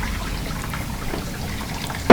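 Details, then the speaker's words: Whirlpool dishwasher not cleaning well, after fill fix lets water enter faster: steady sloshing and spraying with strong even circulation-pump drone and one thump; much more water, louder circulation, healthy wash. "the sound of the water getting pushed around by the circulation pump is a lot louder than it was because there's a lot more water in there"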